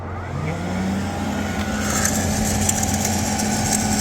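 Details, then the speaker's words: Sparx ES200 skate sharpener (2022 build) in cold conditions, 5 to 8 °C, giving code 236; grind spindle motor whine climbs briefly then levels at low pitch, never reaching full RPM, as if lost torque; worked when warmed indoors. "doesn't sound like it's really going up to speed almost sounds like the uh Armature is not hooked up to the"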